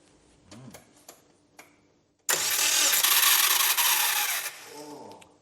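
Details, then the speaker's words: Subaru Brumby (BRAT) ute with a rebuilt engine, cranked with the ECU disconnected so there is no fuel or spark. A couple of seconds of loud, harsh, high-pitched whirring grind with no firing; the starter motor is suspected of being unhappy, not confirmed. "now we're going to crank it listen for bad noises and stuff falling out of it like an unhappy starter motor"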